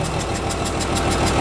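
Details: Komatsu S6D125 diesel just started after general overhaul (broken No.5 piston, spun No.4 conrod bearing; crankshaft, liners, pistons, conrods, bearings replaced; turbo repaired, FIP and nozzles calibrated), pre-lubed; steady even idle, smooth low rumble, no knocks or misses; normal idle.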